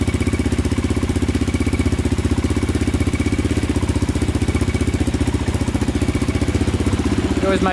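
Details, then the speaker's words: 2002 Yamaha Raptor 660 quad after timing chain and valve replacement, first start, fired instantly: even, steady single-cylinder thump near four beats a second with no misses or knocks; normal idle. "fired instantly with this one right here so that's good yeah i think we're i think we're golden now sounds like it's running pretty good"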